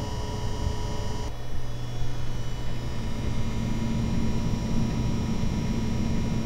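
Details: EVGA RTX 2080 Ti XC Hybrid water-cooled graphics card at idle in an i9-9900K PC: steady low hum with a constant tone; owner suspects the cooler pump, not confirmed.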